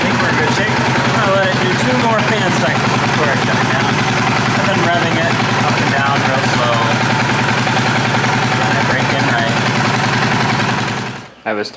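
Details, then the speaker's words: 2018 Polaris Sportsman ACE 570 after rebuild following mud flooding, warm, after three fan cycles: steady even idle, no knocks, ticks or clutch rattle; everything seems fine, clutch seems operational. "Everything seems fine so far. I was really worried about the clutch, but it seems operational."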